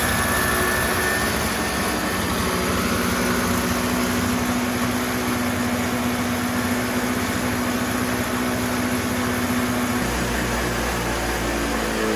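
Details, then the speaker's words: Toro CCR3000GTS single-stage snowblower, 5hp Suzuki two-stroke, tank already drained. Started on choke and prime and left to run the carburetor dry for storage. Loud, steady buzz at an even pitch with no misses or knocks: normal running. "Okay, so now we want to start it up to get the remainder of the fuel that's in the carburetor out by running it through the engine. Same procedure, choke, ignition on, prime, and we're going to let it run dry."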